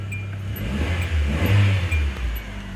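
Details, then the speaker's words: 2012 Hyundai Accent after a timing belt change: revs up and drops back smoothly with no knocks, rattles or squeals; sounds healthy, but the check engine light stays on, cause unknown. "mean but it sounds good right sounds wonderful"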